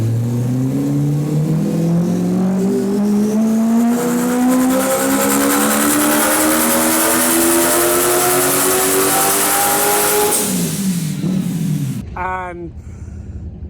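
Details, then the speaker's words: Drift car: engine revs climb hard with a rhythmic chuffing flutter, about three beats a second, riding over the note; turbo chuffing noise whose cause the owner is trying to find. "so many people are asking me why it sounds the way it does it's got some weird noise"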